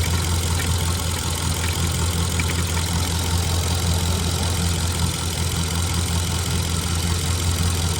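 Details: Ford F-150 at a dealership after cold start, dipstick pulled; steady low idle with faint, loosely regular ticking about two or three a second; abnormal internal engine noise, cause unknown.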